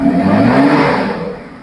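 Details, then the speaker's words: Engine after fan clutch replacement: strong rising whoosh of air as it revs, then easing off; the fan clutch locks up and moves noticeably more air, sounding better than before, though the speaker doubts it likes the coolant. "It's sucking a lot of air. Yeah, I don't like I don't think it likes it on that coolant, but it does sound better than it did. Yeah, that uh always roll into down. It sounds like it is doing its job."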